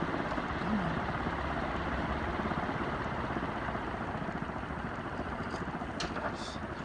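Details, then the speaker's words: 60-inch cast aluminum Dayton industrial fan, recently bought, likely lightly used, downrod angling from unlocked lock rings: soft whooshing blade rush fading as it coasts down, no rubbing, scraping or clicking; normal spin-down. "So the spin down isn't bad. That's just normal spin down for these things. They didn't spin down for a long time."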